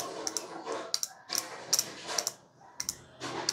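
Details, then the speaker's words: Yamaha YZ450F fuel injector tested with no engine running after fuel pressure check: crisp, sharp clicks in quick pairs each time the lead touches battery negative; injector opening and working normally. "pagkonek natin tingnan natin kung may sound ha kung gumagana let's go one two and yun tumutunog"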